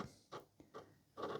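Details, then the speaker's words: Charity-shop Blu-ray disc player at manual power-up: soft irregular ticks and short whirring bursts as the drive seeks, trying to read; normal startup, later plays a DVD fine. "Sounds like it's trying to read something."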